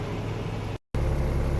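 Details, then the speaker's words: Peterbilt truck with a newly installed Cummins diesel engine, idling just after its first start: steady, deep, even low rumble with no knocks or misses; sounds really good, buttery-smooth. "first impressions it sounds really good"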